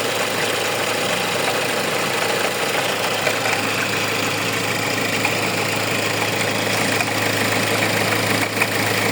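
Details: Hyundai engine at idle with a loose, uneven rattly chatter over the steady hum, coming from a faulty alternator pulley.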